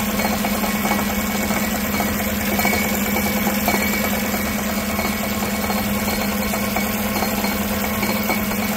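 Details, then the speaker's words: 2016 Tahoe 5.3 V8 with 140,000 miles, no check engine light, idling and heard underneath at the exhaust: a loose, uneven tinny rattle. Part of the driver-side catalytic converter's insides has come apart. "the noise we're hearing is over here though ah you guys hear [Music] that sounds like part of the cat came apart in there"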